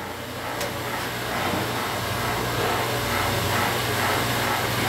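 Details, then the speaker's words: Vacuum-forming machine vacuum pump switched on with the vacuum valve closed: steady hum and hiss as it builds vacuum in the storage tanks. Running normally, no knocks. "can go ahead and turn your vacuum pump [Music] on and you can hear that buzzing away down there"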